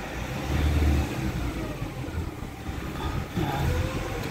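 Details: Nissan Calibre being driven after engine and transmission treatment for throttle delay, low power and transmission hum: firm, even note rising and falling with throttle amid street noise; engine now tighter and healthy.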